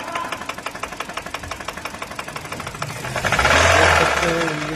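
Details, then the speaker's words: Heavy bottom-end knock, about four beats a second at idle, louder when revved; crankshaft seized/damaged, and the opened engine shows a cracked cylinder block leaking oil. "हैं engine में sound आ चुका है ये गाड़ी का, काफी खतरनाक sound है, क्रैंक पकड़ लिया है, देख सकते हैं।"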